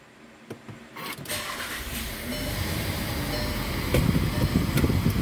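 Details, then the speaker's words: 2017 VW Jetta 1.4 TSI push-button cold start after a tune-up with new spark plugs and a new air filter; previously starting to run rough: catches quickly and settles into a smooth, even idle with no misses or knocks, healthy. "okay it actually runs really nice wow nice and smooth"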